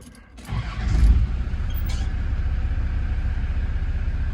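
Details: Land Rover Defender TD5 diesel at start-up after a fuel and oil filter change: short crank, prompt catch, then a low, even rumble at idle with no knocking or rattle; normal healthy start and idle.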